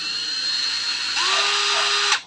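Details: Used Japanese-import 14.4V cordless drill with fast and slow speed modes, not yet cleaned: a clean whine climbs smoothly to a steady pitch, cuts off, then spins up again. The drill runs healthy.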